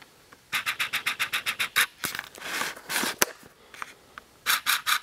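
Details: Yamaha R1 that recently needed trickle charging, security remote reporting low battery: rapid, even clicks about eight per second in short bursts with no cranking; starter relay chatter, weak battery or security system drain suspected.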